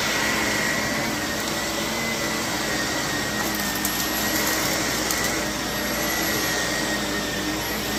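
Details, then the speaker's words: Used Shark vacuum (CU510 or NV60 bought cheap) running: steady roar with a thin, faint high squeak on top. The owner suspects it will need a new brush roll. "It's gonna probably need a new brush roll. I can hear it squeaking."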